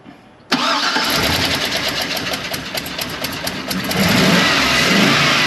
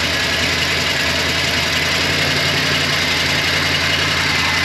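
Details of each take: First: GM aluminum-head engine started after broken intake manifold stud extraction and injector/fuel line reconnection: catches to a busy idle with slightly uneven beat and occasional stumble; it's missing a little. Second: GM engine with aluminum head, after a broken intake manifold stud was extracted by welding on a nut and the fuel lines reconnected. It had been missing a little while priming. Now a steady, even idle with busy mechanical clatter, no heavy knock: normal.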